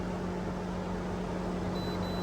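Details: Chevrolet/GMC 5.3L truck at idle, about 45°F outside, code P0128, gauge reading low: loud steady air rush and constant hum; radiator fan stuck on high, blamed on a faulty coolant temperature sensor.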